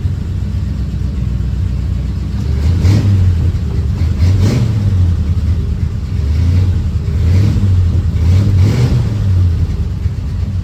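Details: 1940 Ford Tudor just after welding on new tailpipes from an eBay kit, before hangers, clamps and cutting to length: deep, even rumble swelling smoothly through a few throttle blips, no rasp or ticking; normal, tight exhaust.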